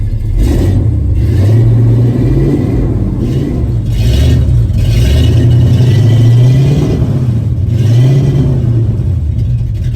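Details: 1974 Ford F-250 after fitting two new mufflers, mocked up and not fully bolted: deep burble swelling and falling with throttle blips, no rattles or blowing leaks; nice tone yet quiet enough for DMV — normal exhaust note.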